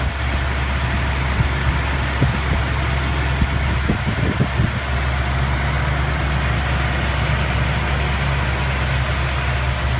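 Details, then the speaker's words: 1997 Mercury Mountaineer 5.0L V8 idling fully cold with a fast, faint high chirp near the belts from worn, dry camshaft synchronizer bushings; fix is oiling the bushing via the removed cam sensor. "the 3.8 L and I think the 4.0 and of course the 5.0 it's right next to belts and there's that chirp noise right"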